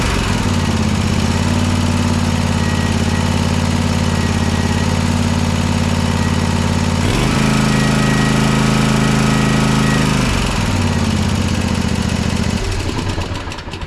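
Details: Toro TimeCutter SS5000 zero-turn mower after repair, reassembled: a strong, even twin-cylinder drone that steps up in speed, then settles and shuts off cleanly, smoking as the previously non-firing left cylinder burns off; normal running.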